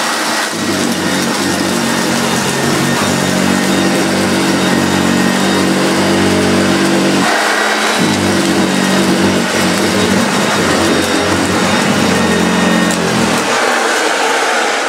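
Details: Hoover Junior 1436 Mk1, early plastic-hood model, on carpet: even motor drone with a steady brush thrum that dips when the cleaner stops, agitator running normally though scattering debris.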